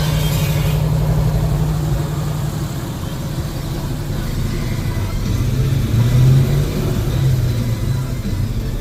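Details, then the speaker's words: Plymouth with 392 Hemi and 9-inch rear end, brand-new tires and wheels, pinion angle shimmed, driving. Drivetrain drone with a rhythmic throb about four per second following wheel speed as the tire hops. Owner suspects a bent rear axle or brake/rotor issue. "there's almost you can almost see a hop there you hear it that tire is bouncing these tires are brand new these wheels are brand new you can really see it now you almost see that wobble more"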